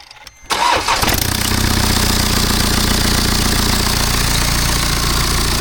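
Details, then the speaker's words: BMW F10 518d B47 diesel just after a turbo replacement: rough, loud run with a rushing hiss over the clatter and smoke from spilled oil; boost leak because the turbo clamp was refitted the wrong way. "What happened here was that the clamp was not on correctly, so you should make sure that you put the clamp on the same way as you took it off, because yeah, that's what caused the leak."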